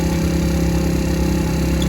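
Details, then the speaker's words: Moped recovered after theft, first kick on cold 42°F day; steady even two-stroke putter, smooth unbroken hum, no misses or knocks, some smoke owner attributes to cold; idling fine. "it still runs good i did a good job on this bike so it runs it sounds pretty good"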